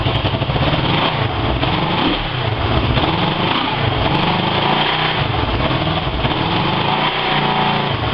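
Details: Honda 250 fitted with a CB 350 engine, starting after engine rebuild: even, steady buzzing run with no knocks or misses; normal running.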